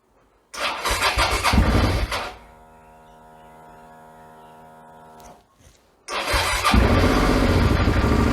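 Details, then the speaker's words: 2008 Suzuki V-Strom 650 first start after swap to a used engine of unknown history, coolant overfilled; quick crank-and-catch, then an even, steady twin idle with no knocks: normal idle, some exhaust smoke noted. "we are very good it sounds pretty good I thought that might drop"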